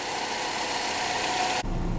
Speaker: okay the brown one is running right now it's running fine